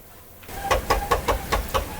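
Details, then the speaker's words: Toyota RAV4 full-time 4x4 creeping on full steering lock: six sharp, evenly spaced clunks about four per second, noisy only when forced into a turn; mechanic suspects the transfer case, not confirmed, needs disassembly on the lift. "eh kailangan makalas ko talaga kasi pag yung nakapwersa siya ng liko doun umiingay."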